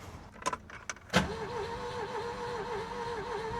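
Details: Ford Taunus Cortina fastback coupe, not started in 40 years, cranked after a brief run ended in clatter: clicks, then fast even starter spin with faint pulse, no firing; seems low compression, cause suspected, not confirmed.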